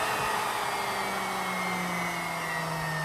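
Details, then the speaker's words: Unloaded 2-stage 4.5-inch Tesla turbine with a rotor of about 1.5 kg, fed at under 40 psi at the nozzle. Steady high whine at one pitch over a smooth air rush, like a small jet: running freely at speed. "Oh, it sounds like an airplane. I love it."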